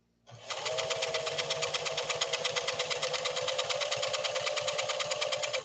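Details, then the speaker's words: Singer Fashion Mate Model 362 sewing machine, about 50 years old, stitching: an even, quick clatter at a steady pace with a light motor hum, no knocks or binding. Smooth, normal running. "So give it a listen. Italian engineering at work here with this Singer Model 362."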